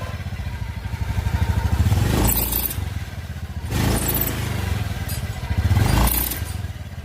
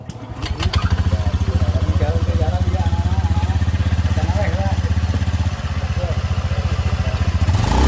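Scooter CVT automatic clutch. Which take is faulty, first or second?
first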